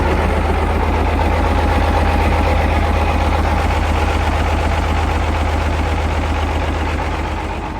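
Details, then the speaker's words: British Chieftain Mk10 tank's British Leyland diesel, first run after sitting about 15 years with a flood-watered engine, oil primed, jump-started and warming up slowly: deep, even idle rumble of about four pulses a second, no knocks or misses. Normal idle. "Well, let's let it warm up real slow. Now, with the British Leyland engine running beautifully, it was time to put the quill shafts back in that will connect the gearbox to the final drives,"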